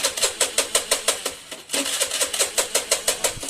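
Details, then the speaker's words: Honda Beat FI scooter that ran jerky and stalled, now cranks but won't start; starter chuffs steadily about three a second without catching. Cause: broken pulser coil wire strands inside the insulation at a bent spot, no ignition pulse signal. "Ternyata masih ada di bagian posisi yang putus juga teman-teman ya."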